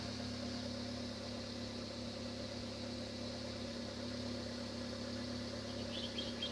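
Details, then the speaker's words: Petrol car with rough rich idle blamed on year-old stale fuel, now running cold at about 1000 rpm: quiet even idle pulse with no stumbles or shaking, and exhaust sounds relatively normal. "At present , it seems to be stable and the sound of the exhaust pipe is relatively normal"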